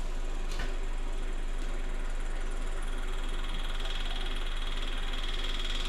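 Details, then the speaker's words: Repowered 610 skid loader, hydraulics, radiator and wiring just finished, pump running before engine start to bleed air: a steady low electric hum with an even pulse of about three a second, no rattle or grinding; pump working. "pump sounds like it's working"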